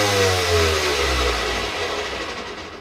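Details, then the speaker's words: Pursuit 325DC bow thruster that was not working, run after replacing its fuse; a loud whirring motor whose tone falls as it winds down smoothly over a few seconds; thruster now works normally. "She's loud."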